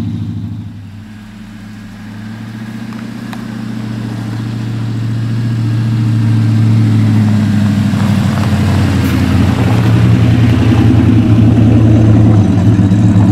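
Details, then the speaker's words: LS V8 truck accelerating on first road drive after a Yella Terra roller rocker, LS7 lifter and LS9 head gasket install: smooth rumble climbing in pitch with speed, no knocks or misses; nothing out of the ordinary heard. "how do you feel about that run good didn't hear anything out of the ordinary"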